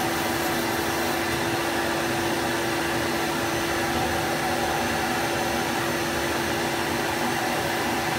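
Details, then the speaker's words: Shop vac with an Oneida Dust Deputy, used as dust collection on a blast cabinet converted to a mobile stand-up unit: an even, strong rushing roar with a steady motor hum; it runs normally with good suction. "obviously there's some good suction on this, because look at these gloves."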